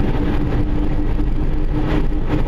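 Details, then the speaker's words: 2005 Subaru driving down the road: deep, steady "rump, rump" rumble under road noise that swells and fades, from a worn rear wheel bearing, before the bearing is replaced. "You can sort of hear a rump, rump, rump, rump. That's a rear wheel bearing, 2005 Subaru. And it gets worse and it gets better, which is weird."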